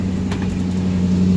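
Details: 1981 Chevy GMC C3500 dually flatbed dump truck, 350 small block, 4-speed, after maintenance including a vacuum hose: even, steady low idle hum with no belt squeal or chirp; engine runs smooth and healthy.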